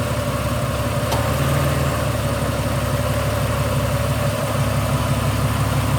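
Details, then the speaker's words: Ford BA Falcon inline-six idling with a misfire from a failing ignition coil, one or two coils suspected bad: steady idle broken by uneven stumbles as a cylinder drops out. "What we're going to do, I'm actually going to start it with it missing. Pull a plug and see if it still stutters. It should stop stuttering."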